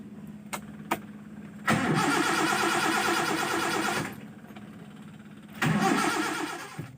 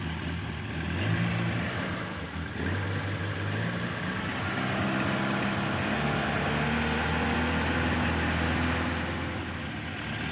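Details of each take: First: Engine hard to start, sputtering (brebet) and lacking power: two long bursts of cranking that never catch a steady idle; the fuel solenoid valve is suspected dead (coil magnet not working, needle staying shut) and its needle removed. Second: Petrol engine after removal of the disabled fuel solenoid needle, ignition timing set to 8 degrees BTDC and battery charged: starts at once and idles steadily and evenly with no sputter or misfire, normal start and idle.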